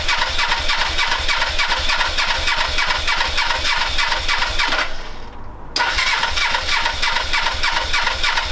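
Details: Suzuki GS500 motorcycle after refitting carbs and airbox, cold weather, choke on, borrowed battery: steady starter cranking about three compressions a second, a brief catch, then more cranking without running; cranking, fails to start.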